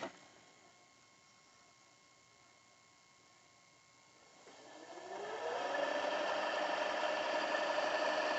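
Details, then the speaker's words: Panasonic AG-2550P VCR with K-mechanism: quiet, then a steady rising whir settling into an even hum as the tape fast-forwards at reasonable speed; transport healthy. "fast forwards at reasonable good speed"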